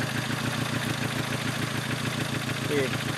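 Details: Petrol engine idling rough with an uneven stumbling misfire, running fine only when a plug lead is left arcing; new spark plugs fixed it.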